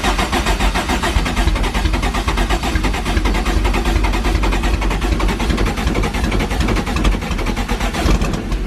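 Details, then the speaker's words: Freshly built forged Toyota 5E-FE with big camshafts, first start-up: loud, choppy, lumpy idle with quick rev blips, an uneven pulse from the big cams; runs fine. "Big cams that are in the back here make the engine so much more louder than the front."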